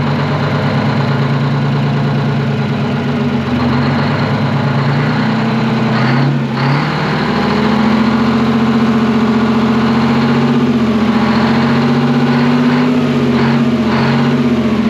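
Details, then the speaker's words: Twin-turbo Detroit Diesel 12V71 two-stroke generator, revived after sitting abandoned, idling deep and even with a steady low drone, fan no longer clattering against its guard; normal idle. "dude what a sweetheart of a motor sounds way better than a fan clattering around on it much better"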